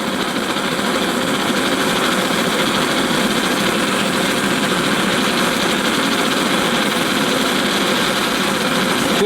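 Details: Antique paraffin blowlamp, newly assembled and tested outdoors: a steady, even hissing roar with no sputter or pulsing, with wind gusting across the flame; it is burning cleanly.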